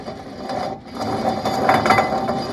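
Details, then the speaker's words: 2003 Dodge Ram 1500 2WD hub bearing assembly turned by hand before replacement; rough, gritty, uneven ratcheting grind and shake from a bearing that is essentially gone. "You can see the if you look real close, all this is the bearing that has just pretty much, well, it's not really there anymore. So it's got this sound to it."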